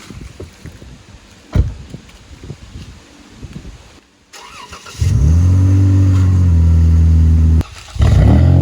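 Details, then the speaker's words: Dodge Durango, first startup after swapping in a Durango GT engine to replace one blown two years ago. The engine catches and settles into a smooth, even, deep idle, dipping once before steadying, normal. "Now I'm gonna give that our first startup. Well, I really already started it up, you know that, because you see it move, but we're gonna give y'all that first startup, let y'all hear it real quick, and just let you see we back in"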